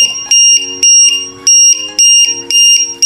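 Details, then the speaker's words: LiPo battery voltage checker on an RC airplane, alarm threshold set to about 3.3 V: loud, shrill double-pitched beeps about twice a second. This low-voltage alarm means the battery is low and the plane must land now. "সিস্টেমটা এখন এই switch চাপলে একবার plane যখন এই আওয়াজটা আসবে তখন কিন্তু প্লেন নামিয়ে নিতে হবে,"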